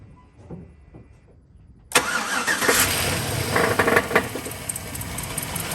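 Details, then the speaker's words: 2007 Chevrolet Silverado V8 after AFM/DOD delete kit install, started after cranking to build oil pressure: catches and settles into a steady idle; initial lifter clatter from lifters pumping up has gone, sounds healthy. "But I'll insert the clip once it actually started and got past that, initial build up of pressure inside of all those lifters, the sound went away."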